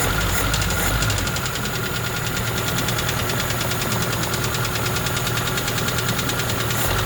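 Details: ZAZ Slavuta 1.3 engine at rough idle with a sharp metallic knock about three a second. It persisted after the head was removed to retrieve a carburetor stud that had fallen into cylinder 2. Four mechanics could not find the cause.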